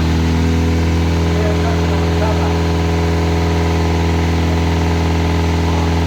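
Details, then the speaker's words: Classic Mini turbo at first start-up after rebuild: steady idle with a faint, uneven light knock, sounding like a big end but felt at the rocker cover; top end suspected, cause unclear. "can you hear it Knocking it's ch mostly yeah can you hear it Knocking a little bit front sounds almost like a big end gone"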